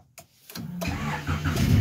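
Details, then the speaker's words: Honda CRX: brief crank with the clutch pushed and the engine catches at once, rising smoothly into a steady idle; a clean, healthy start, working fine now. "car starts right up so everyone's happy it seems to be working just fine now"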